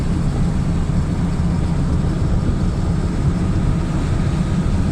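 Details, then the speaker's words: Lada Niva driving after an earlier left-front rattle was checked: a smooth, steady low drone with no knocks or clunks from the transmission or front end. Normal driving, no knock. "а в целом вот эти посторонних звуков духов нет никаких так что за нормально будет"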